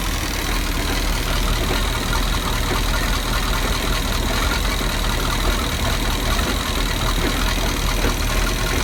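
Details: Volvo Penta 5.7 GI marine engine at idle: a heavy, uneven rumble with a dull clunk now and then that seems to come from the rear of the engine. Cause unknown.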